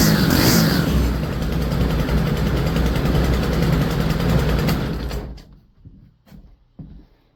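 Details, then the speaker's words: Stihl FS 100RX trimmer that sat unused, with fresh fuel, new CMR6H plug and air filter: small four-stroke catches and runs rough about five seconds then dies; head spins while pulling the rope, so the clutch is stuck engaged and needs replacing. "it does run. One thing I noticed, if you look down there towards the end, if you look down here at the end of the head, when I'm pulling the rope, the head is spinning. So, that means this trimmer is also going to need a clutch because the clutch is stuck. It's not disengaging."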